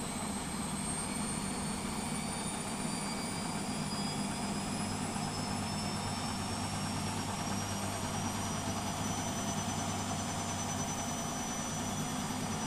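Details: Beko WMP 601 W 6kg 1000 rpm A+ washing machine spinning up: smooth even whir rising in pitch, no grinding or scraping; the grinding heard during wash tumbling is absent when it spins.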